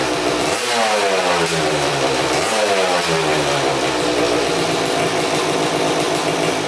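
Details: 2000 Suzuki RM250 (249cc two-stroke) unrun for two years, first start after carb clean, fresh premix fuel, good compression: raspy, very loud crackle rising and falling on blips; big split in expansion pipe, basically straight-piped, needs welding.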